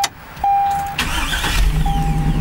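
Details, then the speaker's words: Hummer, heard from inside the cab, with a new 1000-cranking-amp battery: a chime, then a short crank that catches at once into a smooth, steady idle; starts cleanly. "starts right up no problems at all"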